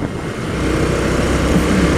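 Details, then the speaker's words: JF300 motorcycle, just had new tires, ridden after a strange noise traced to a loose cover on the chain adjuster being refitted: engine pulls steadily and evenly, no rattle or clicking over road and wind noise; noise gone. "Bora ao que agora parou o barulho capinha ali tava solto a capinha eh onde você regula a corrente"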